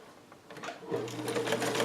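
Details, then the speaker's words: Vintage Cool Blue Sovereign sewing machine with 1 amp motor, stitching in reverse after flipping lever and some coaxing; motor spins to steady hum with quick even needle clatter, no grinding or binding; normal reverse stitching. "Oh, yeah. Now we've got those stitches locked in reverse."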